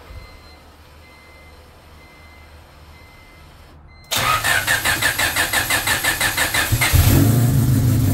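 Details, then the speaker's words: Honda with S2 and Haltech ECU, Almanzar 13-magnet cam trigger kit, ignition timing locked at 20 degrees after ECU reset: even cranking about three beats per second, clean catch, steady idle; timing confirmed dead on, normal start. "And we're dead on. It was idling at 20 is where it's locked at."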